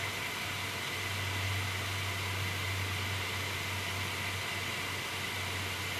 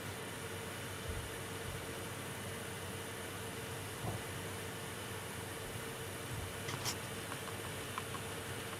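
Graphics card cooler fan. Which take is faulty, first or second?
first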